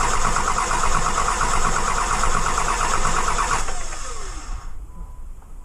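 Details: Dodge 2500 5.9 Cummins, nearly 350,000 miles, original CP3 pump, sat overnight: long steady fast cranking over three seconds without catching; hard start blamed on weak CP3 pump, starts after key cycling and runs fine.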